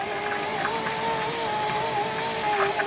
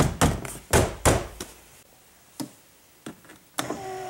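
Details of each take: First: 2005 Chrysler Town and Country 3.8L driver's front window after new regulator and motor: steady motor whine holding pitch as glass creeps up slowly; slow window travel, silicone in tracks suggested, going down now much quieter. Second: 2005 Chrysler Town & Country Touring 3.8L, driver's front window after replacing the regulator and motor: the glass runs up in one smooth, steady electric hum with no grinding or clicking.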